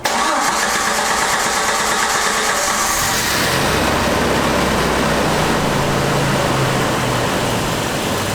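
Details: 1993 Jeep YJ after repairing a failed Crown Automotive fuel pump unit hose: pump ticks briefly, then it cranks, catches at about three seconds and settles into a steady, even idle. Fuel pressure 40 psi; healthy start.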